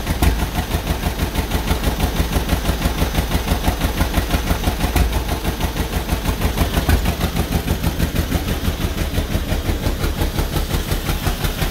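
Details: 1949 John Deere B two-cylinder, first start after engine rebuild: slow, uneven putting at about three beats a second with lumpy gaps and vibration; rough running, parked on a slant, possibly running out of fuel; cause not confirmed.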